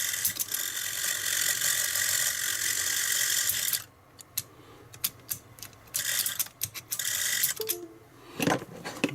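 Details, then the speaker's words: Stellaphone ST450 reel-to-reel tape recorder, 61 years old, during restoration with a new belt kit fitted: high, busy mechanical chatter for about four seconds, then it stops, so the drive motor is running noticeably louder than it should. "the noise of that motorist is a bit much"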